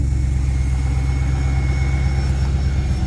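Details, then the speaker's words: 1998 Chevrolet Corvette C5, automatic, about 147,000 miles, long-stored barn find, started with a battery fitted: fires right up into a low, steady V8 burble, an even beat with no ticks or misses, purring like a kitten. "She fired right up, son. She purring like a kitten."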